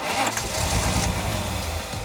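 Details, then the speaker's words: $500 Nissan R31 Skyline, long-sitting, cranking after the distributor cap contacts were cleaned of white powdery corrosion: the engine turns over and catches with a fuller, even low rumble rather than weak sputtering; normal cranking and firing. "That sounded [music] a lot healthier."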